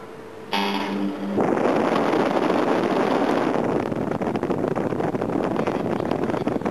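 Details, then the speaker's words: Holden GMH 308 V8 air conditioning with thermostat disconnected, power applied on full fan: short electrical buzz at switch-on, then steady fan rush; compressor never clearly starts; compressor suspected very unhealthy. "Buzzes a bit, that's strange."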